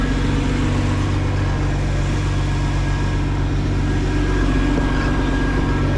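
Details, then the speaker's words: 1992 Bayliner boat engine on a water hose, oil pressure almost 70 psi, pushes more water once warm: steady even low rumble, no knocks, misses or surges; normal running. "Oh yeah. runs good. It acts good."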